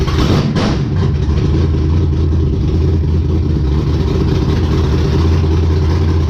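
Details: Race car Intimidator, V8 with open headers, after fixing stalling problem: deep, steady idle with strong even low rumble, no misses or knocks; normal idle.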